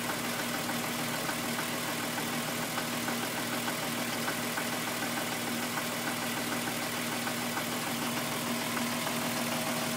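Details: VW Golf VR6 2.9, 103,000 km, steady idle: a hissy metallic scraping with loose, quick ticking, like a chain dragging on its guide. The noise worsened after the upper hydraulic tensioner screw was replaced. Cause suspected, not confirmed.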